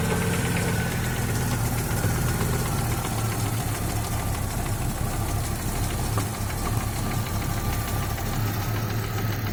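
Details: Audi 2.3 NG, warm idle: quiet when cold, knock appears at 70-80°C and grows, vanishes at 1400-1500 rpm; loudest on oil pan right side near cylinder 4, pulling cylinder 4 plug cap stops it ~4 s; no rod/pin play found; cause unconfirmed.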